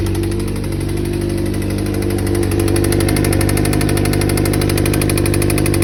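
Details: 2007 Suzuki GSX-R600: sharp metallic knock, about three to four a second, over four-cylinder idle; owner first suspected cam chain tensioner or valves, but bearing material found in oil, spun bearing, engine replaced.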